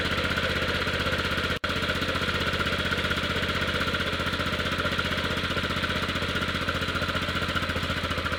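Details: 1998 Yamaha Grizzly 600 single-cylinder ATV after wet clutch replacement and one-way bearing fix: even steady thump, a touch rough but no knocks or misses, owner thinks choke may be on; runs normally with more power than ever.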